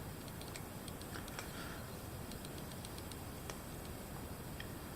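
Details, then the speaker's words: 3D printing with PETG filament: scattered, irregular sharp pops and ticks over a quiet room. User suspects moisture, since PETG readily absorbs water. "Hear that popping? I think that's just moisture in the air getting into the, because PETG is fairly absorbable, likes to absorb water."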